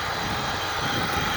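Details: Chevrolet Silverado 3.0L Duramax diesel idling after coolant control valve replacement and refill, coolant level still a little high before test drive: even low diesel clatter at steady idle, no misses, knocks or surges; normal idle.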